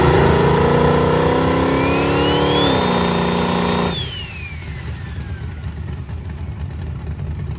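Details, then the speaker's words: 364ci small-block Chevy with GTR 102 turbo, Holley EFI, spooling: note climbs, flattens into a held drone, then collapses and dies; too much timing pulled while spooling acts like a rev limiter and kills boost. "that thing you heard it it just come up and then all of a sudden it died and so essentially it was like you hit a rev limiter"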